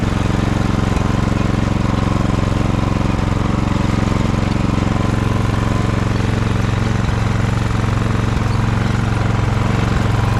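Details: Ariens snowblower test run after friction disc replacement: even, steady single-cylinder beat at constant speed, no misses or surges; running smoothly.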